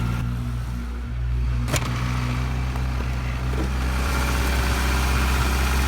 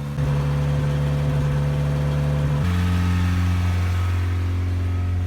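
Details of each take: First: 1987 Toyota pickup, 22R four-cylinder, 5-speed, 177k miles, cold morning start after sitting six weeks: a little rough at first, now a steady, even low rumble with no knocks or misses. Normal idle, though later noted still idling high. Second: 1987 Toyota pickup, 22R engine, 5-speed, 177k miles, sitting six weeks, cold morning start warmed 10–15 minutes; steady, even drone that steps down in pitch but stays fast for a warm engine; idle still running high.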